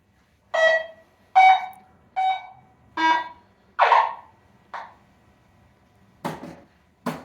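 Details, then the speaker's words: Barn-find Stern Wild Fyre pinball, sound test after board and header repairs: five clean beeps about a second apart, then two rougher bursts over hiss; only four beeps before, a bad header pin possibly the cause; the background noise also stopped. "so we got five beeps I think we only had four beeps before uh so one of those beeps could have been a bad header pin"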